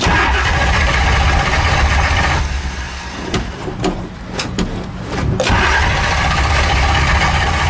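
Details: Shelby Daytona cold start after sitting 3 months with the pedal pumped and a full tank: long cranking, a brief catch, then it stumbles, dies and cranks on without firing.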